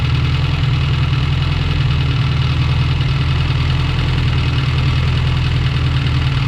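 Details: Honda Prelude, freshly rebuilt engine (Cometic head gasket) on first start-up, valve lash not yet checked: light ticking about three per second over steady idle from the head, audible with ear on the metal; valve lash tick.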